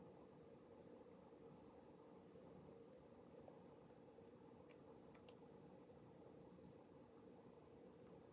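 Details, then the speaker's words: Five-blade computer fan at full speed, spec around 4200 RPM, measured almost 4600 RPM with a DIY tachometer. Steady, even high-speed whir with smooth airy hum, no rattles or ticks; healthy. "okay so now this is a very strong fan and for this one I found somewhere the the speed to be somewhere around 4200 and it's a strong one you can hear it"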